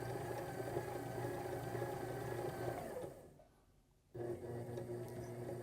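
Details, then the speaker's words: Sewing machine motor on a Sailrite Worker B 100-230V power pack, run from an AutoZone 400-watt modified sine wave inverter, low on wattage. Audible cycling; the hum sags and drops out about a second, then surges back; hesitation, not ideal. "and you're going to get some hesitation so uh not uh ideal for this system"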